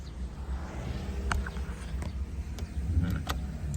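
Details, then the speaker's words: 2003 Isuzu Panther Touring Turbo manual, engine idling: soft rear wiper motor hum with light click at each sweep reversal about every two-thirds of a second; rear wiper working normally. "Ini untuk wier belakang juga nyala ya. wiper belakang. Perhatikan ya, masih nyala ya wiernya."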